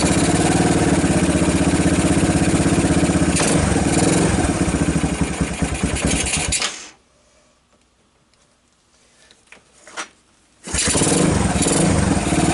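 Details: 1990 Kawasaki Bayou 220 ATV single-cylinder cold start on choke after carb replacement, good compression; thumps about four times a second, dies near seven seconds, then catches again and runs steadily while charging the battery. Normal cold start.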